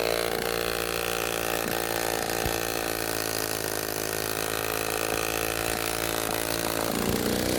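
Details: Restored 1946 Power Machinery chainsaw (Vancouver, BC) running after restoration; steady, even two-stroke drone at constant pitch without misses or surging: running well.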